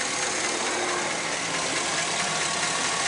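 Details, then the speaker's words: 2008 Chevy Express 6.0 L V8 at 312,000 miles with low oil pressure, after a motor flush and oil change with no improvement: a light fast tick on the driver's side at idle. Lifter tick, possibly a broken lifter. "it's on the driver's side but you can still hear that tick you can really hear it over here"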